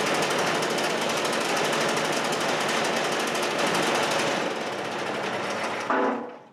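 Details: Chinese walk-behind track dumper bought broken at auction. Its small single-cylinder engine gives a fast, even buzzing patter held steady in neutral, then is cut off: it idles smoothly.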